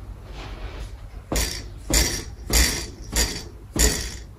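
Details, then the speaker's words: Shimano BL-A550 bike brake lever worked by hand: five sharp plastic clacks about every half second. Loose plastic inserts rattling in the lever; fix is to remove them after undoing the brake cables. "all right so we're gonna get rid of that noise uh there's these plastic bits in the lever that are hooked on by the little holes on the left and the right there on the side"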